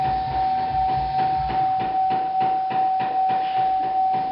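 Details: 2008 Chevy Impala in cold weather, before repair: even clicking about 2.5 per second under a steady tone inside the cabin, from the failed HVAC blend door actuator. Blend door actuator clicking.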